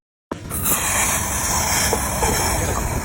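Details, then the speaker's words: Car fuel tank cap being unscrewed; sudden sustained puffing hiss of pressure escaping from tank; pressure hiss on opening fuel cap, attributed to faulty activated carbon canister solenoid valve. "hear that when I unscrewed the fuel tank cap just now there is a puffing sound"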